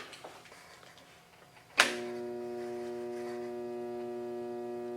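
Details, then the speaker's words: Everclean pump on a 30" Covington lapidary slab saw, removed from the saw, with mud and goop in the intake: after a click, a steady low hum with no rising whir. The motor is energised but not spinning, and something trapped inside is suspected. "All it's doing is humming. There's no way that's spinning."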